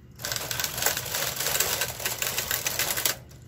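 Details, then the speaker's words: Knitting machine doing Fair Isle, MC and KC, two colors, doors closed, knitting slowly, after fixing earlier issues (owner unsure if take-up spring caused them): steady even carriage clatter, no straining or catching; not laboring, a big improvement. "I think that's a huge improvement over the last couple tries. You can hear how the machine is not laboring."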